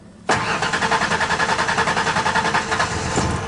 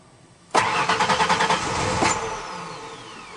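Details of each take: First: 1992 Ford Ranger 3.0L fuel-injected V6 after fuel filter replacement: steady starter churn about two and a half beats per second for a few seconds, then it catches; normal long crank while the new filter fills. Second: 1992 Ford Ranger 3.0L fuel-injected V6 cranked with fuel pump connector unplugged to relieve line pressure before fuel filter replacement: starter spins in an uneven chug about three beats a second, never catches; no fuel delivery.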